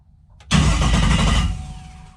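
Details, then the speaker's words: Drag car with a 16-volt system after the starter solenoid was rewired to 16 volts to match: a quick, strong, deep cranking churn with no dragging. The starter spins over briskly, just like new. "really spins pretty quick so anyway so we got that problem licked that's what i thought it was had just similar voltage one is 12 volts one 16 volts"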